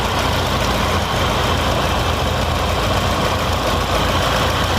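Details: Fiat Palio with GM engine (title says 1.8; 1.6 also mentioned), misfiring with check-engine light after refueling, fuel already replaced; rough uneven stumbling idle under loud rumble, one cylinder dropping out; test-light check of injector wiring shows divergence, likely failed injector.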